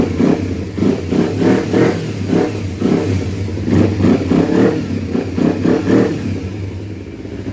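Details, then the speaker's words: 2012 Kawasaki Ninja 250R after carb install, airbox not yet properly reconnected: crisp throttle blips about three a second, rising and falling cleanly with no misfire, pop or clatter; sounds really healthy, no fuel leak. "so once I reconnect the airbox properly uh it should start running pretty darn good sounds really healthy"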